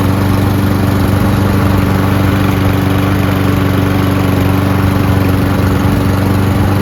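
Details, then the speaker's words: Free Cub Cadet (MTD) mower, likely PowerMore engine, sat long, choke closed and primed with spray: runs steadily with even drone about four firings a second, no misses or knocks; carburetor seems clean, just needed priming. "How about that, huh? Carburetor seems to be clean. Just needs a prime."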